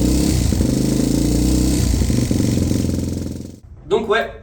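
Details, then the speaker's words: Suzuki DRZ single-cylinder with FCR 39 carburetor, about 800 km after install, heard running: uneven knock riding each firing pulse, roughly 220 a minute; owner suspects worn con-rod bearings or piston play, ruling out ignition and clutch. "donc du coup la théorie la plus plausible c'est que j'ai fait les Cousinet de Biel ou alors un jeu dans le piston"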